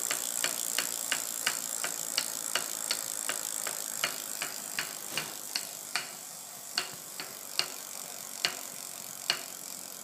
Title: Bike strange noise